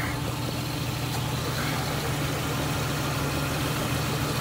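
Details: 2005 Ford Mustang 4.0L V6 just warming up after water pump, thermostat housing and radiator fan replacement, with no leaks seen: a steady, even low rumble with no knocks, ticks or squeals. Normal idle.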